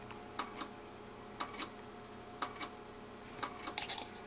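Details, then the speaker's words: Power Macintosh 6500/275 with an IDE hard drive at power-on: sharp click about once a second, often with a softer echo click, as the drive repeatedly tries and fails to spin up; it sometimes eventually spins up. "listen carefully that clicking is the hard Drive attempting to spin up but it's not"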